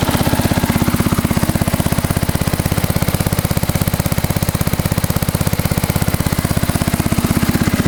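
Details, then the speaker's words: Massey Ferguson 10 tractor, slightly flooded on unneeded choke at start: steady, even firing at about two beats a second, a low thump with no misses, knocks or hunting; a good runner. "Yeah, it didn't need choke. So flooded it a little bit. It's alright. But it is a good runner. It really is."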